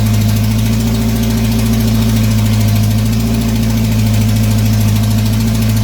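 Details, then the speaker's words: GM 2.2 engine just after rebuild: very loud, constant high-rev drone that never drops to idle; throttle stuck wide open because the throttle cable fell off; EGR tube gasket vacuum leak also found. "something wrong with the throttle throttle stuck full down pedal in there stuck all the way down"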